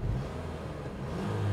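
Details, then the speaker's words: Auction car running with the AC compressor on and blowing cold: deep, even engine note that swells slightly as it revs, with no knocks, ticks or misses; healthy, strong engine. "and you can hear her running but she's running good let's listen"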